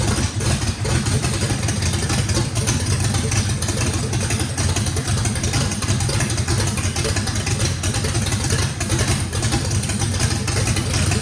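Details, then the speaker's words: Fresh drag-race engine with a radical camshaft, first fire-up, deep rumble holding a choppy rough-edged idle for several seconds. Overlap and lobe separation needed lots of throttle, blade about six percent open; normal lopey idle. "fire in the hole sounds good uh this motor i think has the overlap and the the the valve lobe separation on it makes that thing uh had to put a lot of throttle in it"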